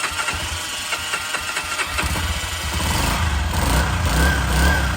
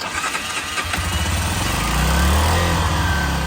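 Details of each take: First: Honda CG 125 barn find, sat 15 years, started after carburetor cleaning, choke on: cranks briefly, catches and settles into a steady, slightly rich single-cylinder idle; normal start and idle. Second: Honda CG 125 barn find, sat 15 years, first start after carburetor cleaning: single cylinder catches and sputters on choke, needs a little throttle and won't hold idle by itself; runs better with choke off.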